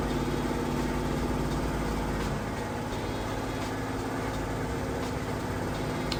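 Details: Samsung VRT HE washer on a heavy-duty hot cycle with a heavy load, holding high spin speed near the 2-minute mark: a steady drum roar and low hum with faint regular thumping. Normal high-speed spin.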